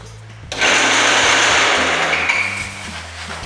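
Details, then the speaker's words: Bandsaw starting up to cut blanks runs with a harsh, rough hissing roar and shrill ringing edge instead of a clean sound; something is wrong with the saw, cause not confirmed. "Not supposed to make that noise."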